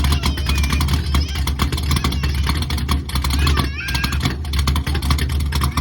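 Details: C3 Corvette stock-bottom-end Chevy 350 with aluminum Pro Comp heads, Comp 292H flat-tappet cam, 1.5 roller rockers, before turbo: loping, uneven idle with rhythmic exhaust chop; normal choppy idle from the aggressive cam.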